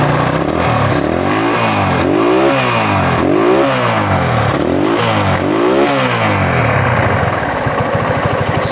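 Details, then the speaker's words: Honda GL Pro motorcycle after replacing the stretched, worn cam chain, air filter off: repeated clean revs rising and falling smoothly, no rattle or clatter; previously rough at idle and high rpm. "halus sekali mas jadi di sini awalnya itu memang kasar sekali ya karena di sini rantai ketengnya ya atau rantai kamar di bagian mesin ini sudah molor alias sudah tua sehingga Tadi suaranya kasar dan setelah penggantian di sini sudah halus"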